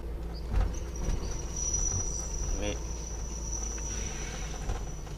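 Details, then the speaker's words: Car squeals while braking and going downhill: thin, steady high-pitched squeal held several seconds over road rumble while slowing; brake squeal, cause unclear. "Quand je suis en descente ou quand je freine, ça fait des putains, ça fait un bruit bizarre."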